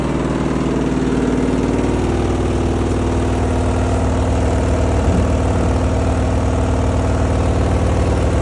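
A low, regular thumping rumble, nearly three beats a second, runs steadily throughout; the washer is making an abnormal running noise.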